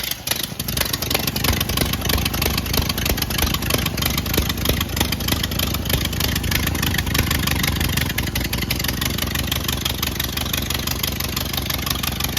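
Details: 1928 Ford Model A 201 cid flathead inline-four, first run after 17-18 years stored, choke on, timing locked slightly advanced: steady, slightly loping chuff about three beats per second at idle; runs evenly and healthy.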